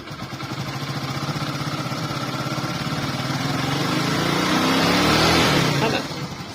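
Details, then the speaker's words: Hero Glamour motorcycle after tightening a loose balancer nut that had caused the noise: even exhaust beat climbs smoothly in pitch as the throttle opens, then drops back, no knocking; engine healthy, normal revving. "Sound एकदम first class है sound में कोई problem नहीं है सिर्फ balancer का नट खुल गया था"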